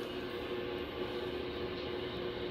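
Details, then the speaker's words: Drake R4B receiver noise blanker troubleshooting, noise probed at grid of noise shaper V10A (pin 2); steady rough hiss with faint low-mid buzz, impulse interference suspected from neighbors, blanker seemingly not working. "so i got some nasty noise in this thing as usual thanks to my neighbors and you can hear it like this"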